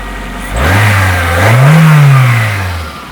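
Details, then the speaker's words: Nissan Primera with SR20 2.0-litre engine (chain-driven twin camshafts, water pump on separate belt, pump leaking), recorded under the bonnet: smooth blip up from idle, peaks and falls back cleanly, no knocks, rattles or chain slap; sounds potent and perky. "oh that sounds potent and perky"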